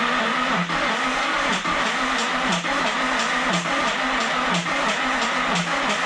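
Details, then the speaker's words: 2003 Nissan 350Z Enthusiast Edition bought not running, big battery hooked up: sluggish starter turning about once a second with a regular click each revolution, no firing; slow cranking, clicking, no start. "it seems to be turning over kind of slow it's making a clicking noise maybe I shouldn't have bought this"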